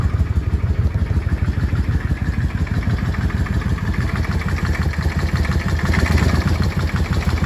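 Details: Yamaha Drag Star XVS650 V-twin at idle: lumpy idle with a loose irregular clatter riding over the low thump at steady speed; owner seeking diagnosis, source of the noise unclear.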